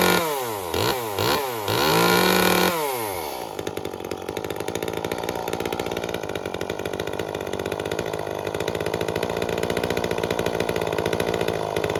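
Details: Echo CS-355 chainsaw after cleaning the clogged carburettor screen and removing the limiter cap to lean the mixture: a few sharp blips to full revs, then a crisp, even idle that settles steadily; carburettor now set right.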